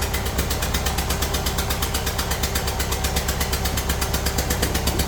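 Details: Kia Sportage 1.7 diesel at idle, oil and dirt over the engine: loud fast even chuffing tick over heavy diesel clatter, tractor-like; one injector seal blowing, fixed by new copper seals.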